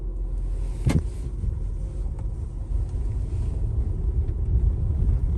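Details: 2018 Land Rover Discovery Sport on a test drive after the suspension bushings were replaced to cure an elusive knock: low, even road rumble with only one faint tap and no repeated clunks; the knock is gone.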